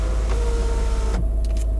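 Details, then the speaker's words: Range Rover L322 TDV8 after a battery replacement: the sunroof motor whirs smoothly to full travel and stops cleanly, with one-touch working again after re-learning. Normal sunroof one-touch operation. "All the way open, all the way forwards, let go, the one touch is now working on the sunroof,"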